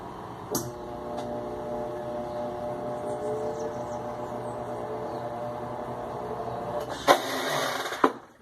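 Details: Electrolux LTE 12 washing machine on spin: steady motor hum, then a loud bang and clatter when the drum stops; injector arm, ratchet and tub lid already replaced, suspected warped/worn brake band tab or factory-defective injector arm.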